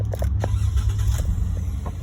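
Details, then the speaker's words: 2014 Jeep Wrangler 3.6 with intermittent engine shut-off, crankshaft position sensor and cylinder 1 and multiple misfire codes, engine possibly rebuilt, started after clearing codes: even low rumble with no stumble or miss, codes did not return; normal start and idle. "sounds nice yeah close don't come back immediately okay uh didn't come back okay"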